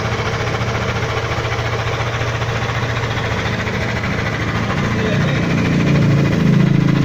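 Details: Yamaha Aerox 155, one year old, 11k odometer: steady fast pulsing idle with a rougher knocking note creeping in as revs rise; unusual engine noise, cause unclear.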